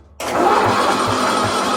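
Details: 1972 John Deere 110, 8 hp Kohler, safety switch bypassed with jumper at solenoid: slow even cranking thumps about three a second, no firing; crank-no-start from no spark due to dirty ignition points.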